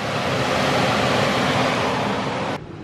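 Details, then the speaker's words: Furnace blower fan motor running with front cover off, bottom safety cover on, after oiling a motor with no oil ports: steady, even rush of air with no squeak or rubbing, then a sudden drop. Normal operation. "so I'll turn this on and the LED will blink that it's going on startup and listen to that that fan is running great sounds absolutely beautiful"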